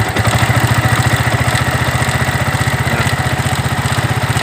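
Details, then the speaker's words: 2009 Yamaha Vixion engine: steady idle with a fast, even rattling tick about four per second from the cylinder head top end, described as friction-like noise; worn camshaft bearing. "itu ya teman-teman ya. Ada bunyi seperti gesekan dan bunyi."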